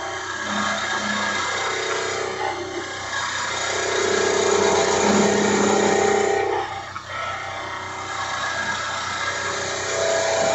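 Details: Woodturning a mallet with one hand supporting the back of the tool to stop vibration: an even, continuous hiss of the tool cutting the spinning wood, with no chatter.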